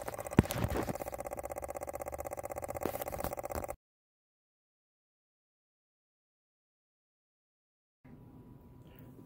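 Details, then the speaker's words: EVAP purge solenoid on a 2014 Chevrolet Silverado 5.3 commanded on via scan tool output controls: light, even clicking about four a second over a quiet background, solenoid cycling normally. "with the solas edge snap-on scan tool i can command the evap perch solenoid on and you can actually hear the pert silent clicking"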